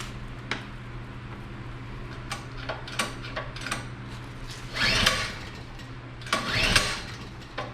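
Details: Generator unused for a while, pre-hurricane check with valves opened; scattered clicks then two short cranking bursts that never catch. Owner unsure if choke or another lever is needed; cause unconfirmed. Cranks but won't start.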